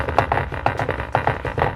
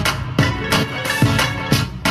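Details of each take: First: Honda CR-V rear door factory speaker playing music: buzzy, rattly distortion on every beat, blown speaker, to be replaced with Pioneer TS-A652 speakers. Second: Honda CR-V front door after replacing speakers with Pioneer TS-A652C components: music plays cleanly with punchy drums, rattle gone, tweeter sounding perfect.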